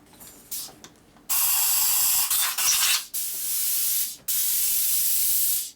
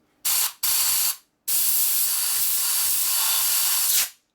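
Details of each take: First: 2001 Gilroy Indian Centennial Chief carburetor choke circuit: short bursts of compressed air hiss thin and choked rather than free-flowing; passage plugged, low volume, flows much better with a bigger tip. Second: Carburetor choke circuit on a 2001 Gilroy Indian Chief race bike rebuild, blown through with compressed air after being cleared with a bigger nozzle: a long, full hiss replaces the low-volume flow; the passage is now clear.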